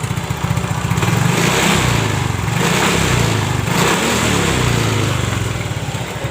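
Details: Yamaha Mio J/GT scooter after repairing corroded, broken wiring that kept killing the ECU and replacing the regulator, kick-started because the starter was too weak: steady low putter idle with slight speed swells, no misses; running normally.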